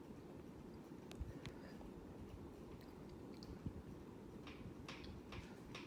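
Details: Hampton Bay Huntington III ceiling fan running, recorded February 2024: faint sharp click about every half second over a soft hum in a quiet room; rhythmic clicking, cause unclear.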